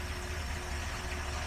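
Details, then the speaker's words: 1973 Dodge 318 V8 on engine stand, fresh oil and filter after 10-plus years, cold with good oil pressure; steady even low rumble with smooth exhaust beat, no knocks or ticks: normal idle. "it's fun to watch an engine run without being in the car does sound good at idle doesn't it"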